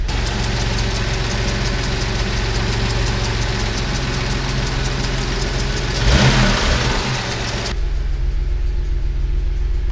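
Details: 1988 Toyota 4Runner 3.0 L 3VZ-E V6, warm, after fixing high idle at the idle air control valve: steady even low hum at 850 then 800 rpm, normal idle.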